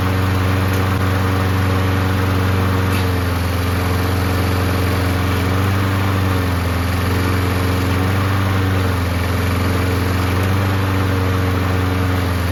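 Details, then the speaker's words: Free, neglected Toro Recycler mower engine running with the primer working: a steady, even low hum with no misses, knocks or surging; normal, healthy running. "Man, this engine sounds good, doesn't it?"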